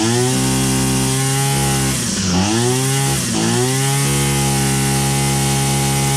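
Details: Old Husqvarna 22R trimmer, choked and pulled after repair, not yet tuned: strong steady two-stroke buzz with brief dips that recover; it now fully runs.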